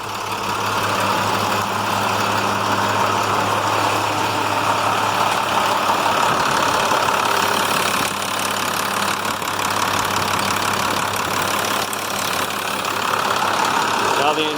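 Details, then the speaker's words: International MaxxForce DT466 diesel truck after repair, previously wouldn't restart once warm: steady, even diesel clatter holding a constant idle while warming up, no stumbling or knocks. Normal idle, running healthy. "let it warm up the way it was before if it ran for about five minutes you'd go to restart it wouldn't restart so let's let it run and we'll see it's going"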